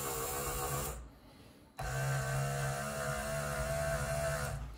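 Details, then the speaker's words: Rebuilt 1964-66 Thunderbird convertible flap transmission motor on the bench after adjusting preload to just barely snug; smooth, even motor whine and steady low hum after a short dip, no binding; normal flap transmission motor run. "i like the way that sounds now"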